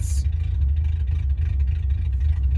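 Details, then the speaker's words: 1979 Subaru GL wagon first start after sitting about a year, idling with foot off brake, emergency brake holding; low idle with slightly uneven, lumpy beat, running a little rough, cause not stated. "running a little rough see I take our foot off the brake"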